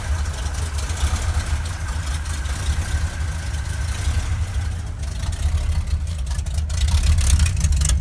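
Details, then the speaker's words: 1971 Ford crew cab with rebuilt 352 FE V8 (new cam, lifters, bearings, rings, oil pump) and open glass packs: loud deep idle rumble with faint uneven ticking from exhaust leaks at poorly sealed headers. "Got a couple exhaust leaks, of course. Go figure. Those headers aren't really sealed that well. You hear that ticking sound."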